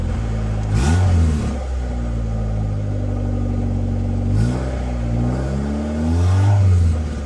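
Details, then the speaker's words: Honda engine on E85 with Skunk2 intake manifold and stock throttle body, revved three times; revs sag back lazily to a 1500 rpm high idle, suspected vacuum leak from a throttle body gasket issue. "and also a good indication of a vacuum leak is when you rev it up and it's slow to come back down that's that's an indication that it's sucking in here"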